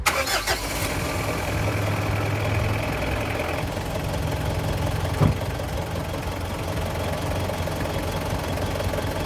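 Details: Diesel car engine being diagnosed for long and hard starting via glow plug resistance checks: it cranks briefly, fires, and settles into a steady, even idle with no misses or knocks. Sounds healthy.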